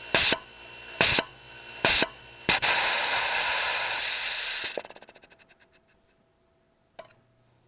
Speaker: will cut off and relieve the pressure now listen you hear that click that box just clicked so I don't know what's going on here